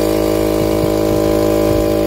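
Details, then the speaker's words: Husky 3.5 HP air compressor after repair of a motor that hummed but would not start: steady mains hum with even motor tone and light rhythmic pump ticking, no strange sounds; good intake suction, though it felt slightly weak, so valves will be replaced. "bien perfecto de nuevo listo no hay sonidos extraños todo está normal de nuevo"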